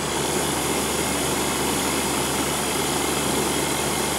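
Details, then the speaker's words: Outdoor AC compressor after liquid-line leak fix; before, it would start, bog down and cut out: steady, even hum and airy fan rush under load, no bogging or cycling off, running normally. "I think we might have got away with that I think that would have struggled before we changed that"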